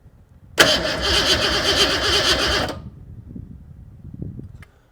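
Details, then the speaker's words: Fox Mustang that cranks but won't start: the starter spins the engine at a steady, even beat of about 160 per minute with no firing. The injectors are heard ticking through a stethoscope and fuel pressure is high. Cause still unknown. "I definitely hear the injectors going tick, tick, tick, tick, tick. Like I definitely hear them."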